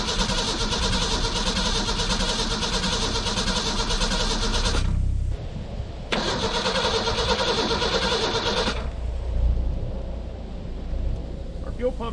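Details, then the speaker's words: 1991 Ford Ranger STX, abandoned for years: repeated fast cranking bursts that catch briefly on ether then die; fuel pump heard trying but owner not convinced there is any fuel pressure at the rail, crank no start. "that was all the ether she wants to go she's just not getting fuel pressure i'm not convinced we're getting any fuel pressure up here"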